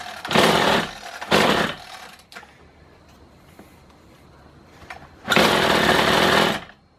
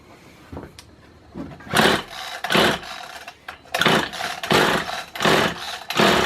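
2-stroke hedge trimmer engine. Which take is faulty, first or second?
second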